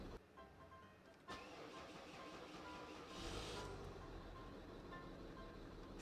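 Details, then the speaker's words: Citroen C6: engine catches after cranking, then a lumpy, unsteady idle with uneven beat; hard starting and rough idle, check engine light on, owner blames faulty DPF/anti-pollution system. "It's the anti-pollution system, as it calls it, the DPF, which is a bunch of crap because if I start it up again, eventually it'll start normally and run normally. It's not idling properly."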